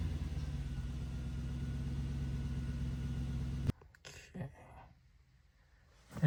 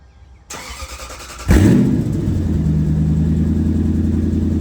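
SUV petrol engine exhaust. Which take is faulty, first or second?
second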